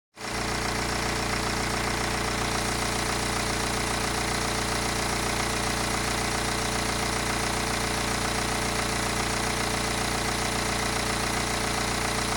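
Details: 2009 BMW 318 with the N47 diesel, owner questioning whether the timing chain must be replaced: steady idle with a fairly regular light ticking rattle, around 220 a minute; cause unclear.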